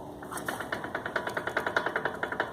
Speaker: o problema aqui é no amortecedor também aqui se eu colocar à porta e apertar esse barulho na mão vai parar na mão